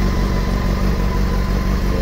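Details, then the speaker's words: 2007 Honda Hornet 600 four-cylinder, finished after vacuum hose repair and synchronization, test-ridden and running great: even smooth low idle with steady beat, no stumbling or misses; normal idle. "show de bola aí a moto tá pronta aí já funcionei andei ficou top"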